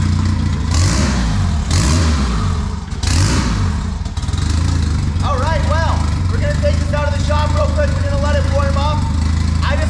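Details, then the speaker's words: Turbo Honda Civic on a $120 turbo, restarted with a borrowed stock ECU installed. The engine catches, revs a few times, then settles into a steady, even run without stumbling: a normal start and idle. "take two i guess there we go that sounds better we got the fuel and everything that's good"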